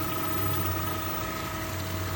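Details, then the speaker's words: Evolution variable-speed pond pump running at 1550 rpm, feeding a sand and gravel filter through two-inch input and output: smooth, even motor hum with soft water rush, no knocks or rattles. Normal running. "this thing is more than adequate to pump what i need so it's going there's a two inch input and a two inch output"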